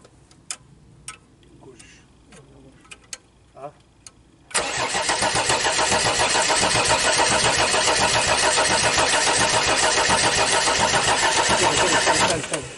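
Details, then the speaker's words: Audi diesel unused at least 12 years, external fuel supply, timing advanced, two more fuel pipes opened to bleed air: several seconds of steady even starter churning, no catch or firing; air possibly still in fuel lines. "I would try to let the air out of the pipe so the fuel could pass"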